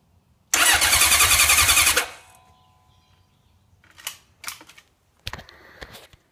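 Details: 1980 Honda CB750F: a harsh, rasping starter grind for about 1.5 seconds while cranking, then it stops.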